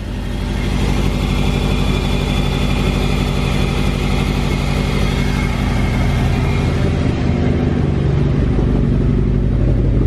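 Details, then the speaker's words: Car with a nearly dead battery, jump-started cold in below-freezing Texas snow: loud, uneven, wavering low chugging, as if about to die, with lots of smoke. A rough cold idle. "oh no car sounds like he's gonna die and a lot of smoke car sounds like all right so i shut off the car really smoky let me attempt to set it up again it was idling really weird"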